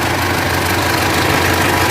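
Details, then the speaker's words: Mitsubishi L200 Triton 3.2 diesel, no dash warning lights: dense, busy clatter over a steady idle with no gaps; worn, slack timing chain, to be replaced. "tá vendo aí pessoal jeito que tá o barulho do motor dela tenha Corrente Comando"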